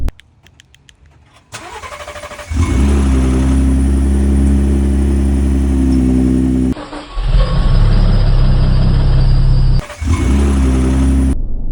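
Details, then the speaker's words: Gen 2 Ford Raptor, twin-turbo V6, about 3,500 miles of ownership: brief crank, then loud clattery cold-start idle from cam phasers, recurring on successive cold starts. "So now with the cam phaser rattle and everything else above, I'm like, dude, I'm taking it to the dealership."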